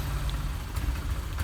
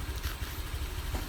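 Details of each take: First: Honda Vario 125 injection scooter, hard to start on cold mornings; at full throttle the engine gives a low, uneven chug that stutters without power until warm. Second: Honda Vario 125 that was hard to start in the morning and stuttered until warm: after adjusting the setting to about 2.5 turns, a steady low idle with even, regular firing and no misses; TPS sensor did not need replacing.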